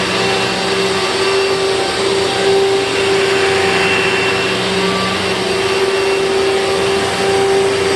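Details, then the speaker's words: 2000 Dirt Devil Featherlite vacuum on a test run with a bag fitted, after four bearings were rebuilt (two in the brush roll, two in the motor). Steady loud whine with an even rushing roar and no grinding or rattle. Not perfect but running smoothly, loud by design. "Well, it's certainly not perfect, but with 4 bearings rebuilt, 2 in the brush roll and 2 in the motor, I just bet it's going to sound a little bit better. But this thing was never meant to be quiet, to be sure."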